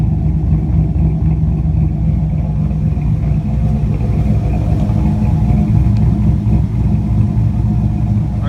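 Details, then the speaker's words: 2004 Chevrolet Colorado with swapped 5.3L V8 and Texas Speed stage 4 cam (223/226, .600 lift, 111 LSA), retuned with raised idle and airflow, warm: deep, uneven choppy lope idling steadily around 925 rpm, long-term trims about -3 to -4, no longer stalling; healthy cammed idle. "I set it to idle around 9:25 the long-term trims around minus four minus three is on that the white band there it's not stalling anymore motor sound hip"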